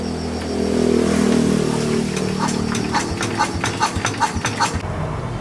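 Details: Farm truck with no power and no start, after fitting a new battery: steady cranking pulses roughly two to three per second outdoors; starter spins the engine strongly with no fault.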